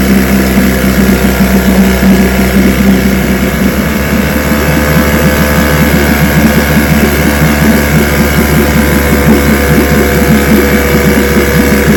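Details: Vintage outboard two-stroke (restored, then repaired) started Wednesday morning with fuel on, full throttle and no prime, firing on the fifth pull: steady even burble at a constant fast idle, no misses or surging; it ran five minutes, showing adequate compression.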